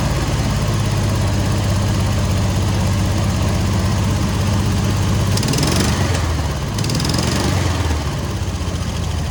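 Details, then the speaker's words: Air-cooled VW 1600 dual-port flat-four in a sand rail, after tightening the exhaust to fix a leak: cranks right up into an even, chuffing idle with no exhaust ticking or puffing; runs normally. "oh man she purred crank right up"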